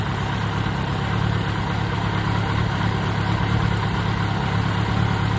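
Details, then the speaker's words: 1983 Kawasaki Spectre 1100 four-cylinder after carb rebuild, inline fuel filter and carb sync (number two slightly low): smooth, even low rumble at just under 1,000 rpm, no misses or knocks; healthy steady idle. "So we got a nice steady idle out of it. What are we idling at? A little under 1,000."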